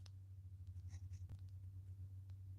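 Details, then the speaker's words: Arfeld Ultra work light damaged after being left on face down, now with yellow char and smoking a little: low steady hum with faint scattered crackling pops when switched on, like tiny arcing inside; cause suspected, not confirmed. "Can you hear it like popping? It's ASMR right now. It almost sounds like little arcing going on in there."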